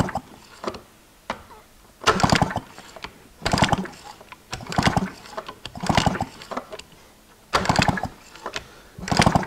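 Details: 1986 Honda Spree scooter that sat outside for 25 years, spark plug out for a spark check: repeated kickstart cranking about every second and a half, turning over without firing while it sparks each time.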